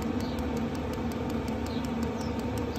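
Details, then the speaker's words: Chinese 5kW diesel heater mounted under a Mercedes Vario minibus, at 6°C, with the dosing pump in a rubber damping boot on nylon fuel line: soft, even ticking at three to four clicks a second over a low hum, quieter than the heater; pump running normally. "that's fairly quiet a lot quieter than the heater itself"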